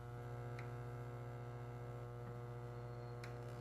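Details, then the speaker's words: Williams System 11A pinball machine, comparison to PinBot: low steady mains hum from speakers, noticeably quieter than PinBot's loud hum (PinBot soundboard capacitors suspected); normal background hum. "See, it's noticeably quieter."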